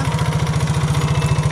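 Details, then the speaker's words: Yamaha Mio J fuel-injected scooter that had lost compression (damaged valve); compression now partly restored after adding oil. It starts but runs rough: fast harsh lumpy thumping, cause suspected, not confirmed; injector judged fine. "Nah, nyala kan, tetapi suara mesinnya kasar ini guys."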